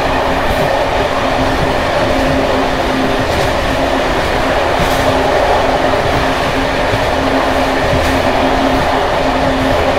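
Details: Bd264 481 coach (built 1979) on Görlitz V bogies with many kilometres since major maintenance, uneven line 190, Hluboká nad Vltavou–Číčenice; steady rolling noise with loose metallic clatter over joints from bouncing brake rigging.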